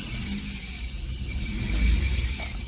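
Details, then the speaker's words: 1994 Isuzu Rodeo, which had a check ball placed in the MAP line by a previous technician, at idle with the return line clamped off: it starts right up with no popping and revs cleanly, with a steady, even low rumble and only a faint pulley squeak. "i blocked the other line there the return line it started right up no popping a rev right up it runs awesome"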